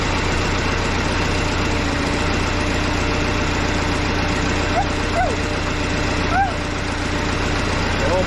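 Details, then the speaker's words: Case 188D diesel tractor engine idling at first fire-up after a 54-week rebuild, injector pump just refitted, throttle worked by hand; steady low even rumble, nice and quiet, no knocks or misses; normal idle. Owner notes leak at injection pump bottom plug. "my gosh welcome sound inside that is nice and quiet we're just gonna let her idle"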